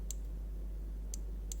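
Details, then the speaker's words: Audi S2, engine idling with three crisp throttle micro switch clicks when the gas pedal is pressed, after adjusting the switch; it didn't click before, probably set in the wrong position and causing an error code. "you can hear that micro switch clicking earlier it didn't so prolly it was in wrong position"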